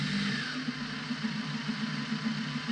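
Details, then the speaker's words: Prometheus blaster with Sunny Sky 2216 2600 kV brushless flywheel motors, 11.1 V input boosted to 16 V, running with no load and drawing at most 1.5 A. Steady mid-pitched whir with no grinding or rattle; working normally. "Still on a maximum of 1.5 amps with no load on it. Everything's working well there."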